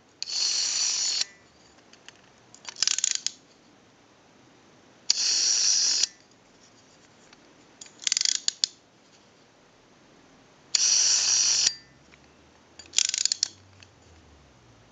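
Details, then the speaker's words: AE candlestick rotary telephone dial with governor installed, being repaired: crisp one-second bursts of fast, even ratchet clicking as the dial returns; a healthy dial ratchet. No ratchet sound would mean a missing or misinstalled key or bad spring. "if you do not hear that ratcheting noise when working on a dial like this that means that the key is missing or it's installed improperly or the spring is bad you have to hear that ratcheting noise when it's working properly"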